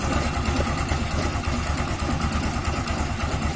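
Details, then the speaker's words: Yamaha Xeon scooter at idle after fixing rough CVT noise caused by an incorrect one-way starter clutch: steady, even idle with no rattle from the transmission side; normal, smooth. "Wah, suaranya hilang. Ah, tidak ada lagi suara berisik."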